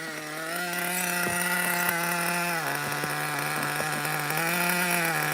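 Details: New nitro RC car engine: high buzzy idle with a slightly hunting, uneven note and small dips in speed, lean-sounding; unsteady idle, possible air leak.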